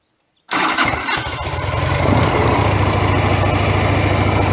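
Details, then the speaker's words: Harley-Davidson FLHS Electric Glide cold start on choke with a little gas, after both mufflers were repacked with fiberglass: quick catch, then steady mellow V-twin idle, noticeably quieter with the edge taken off; normal start and idle. "I like it. It's noticeably quieter. I don't want a window rattler. See, it's got a nice mellow tone, and it just took some of the edge that was on it off of there."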